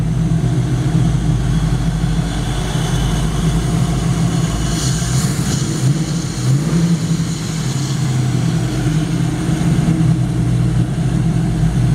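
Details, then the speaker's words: V8 engine in a 1933/34 Ford running chassis with high-amp alternator and power steering: deep, smooth idle that rises cleanly on throttle blips and settles evenly, no knocks or ticks. Oil pressure about 50 psi; healthy. "We're going to fire it up, let you hear it run."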